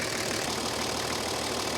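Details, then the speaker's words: Toyota HJ45 diesel, a paddock find sitting for 7 years, after the exhaust extractors were bolted on; even diesel clatter at a steady idle, with no exhaust blowing or rasp. The fan belt is slightly wobbly. "bolting those extractors up has really eliminated that noise it was obnoxiously loud earlier when those extractors weren't bolted on"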